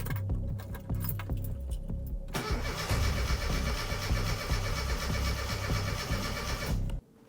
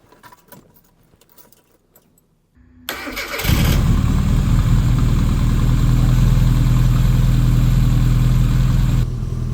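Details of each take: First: 1992 Classic Mini Cooper with 1.3L injection engine, first start after a long time during restoration: the starter cranks steadily for several seconds but the engine never fires. Owner suspects the fuel hadn't reached the engine or there is air in the system. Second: 1992 Classic Mini Cooper with 1.3L injection engine, after the key was cycled several times to run the fuel pump and purge air from the fuel lines: quiet key clicks, then the engine catches and settles into a steady, even idle with no misses.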